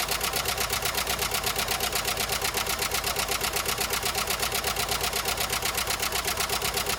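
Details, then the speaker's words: 1993 Jeep Wrangler YJ first start after sitting parked for years, on old oil: sharp, even tick about three per second over the idle; owner thinks the top end needs oil; valvetrain ticking. "Well, it doesn't sound great. I need to put some oil in the top end, I think, but it started up."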